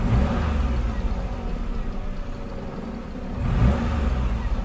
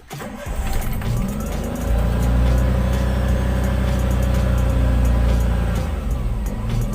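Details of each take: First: Car with unstable, hunting idle speed after a replacement aftermarket ISC actuator was fitted: steady idle, one smooth rise in revs on the throttle, then drops back and settles evenly; healthy rev response, fault fixed. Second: Car with hunting idle at start, rpm above 2000 and rising and falling with no throttle input, normal being 800–1000; idle surges, holds, then sags; faulty idle speed control (ISC) actuator suspected.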